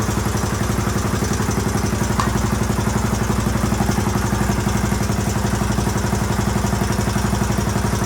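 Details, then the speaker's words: 1981 Honda XL500S single-cylinder, first stone-cold start after fuel tank patch, oil change and air filter, on a makeshift fuel tank: steady, even thumping idle with no missed beats; owner hears a possible leak somewhere, carburetor not leaking. "so sounds pretty good might have a leak somewhere in here i can kind of hear it"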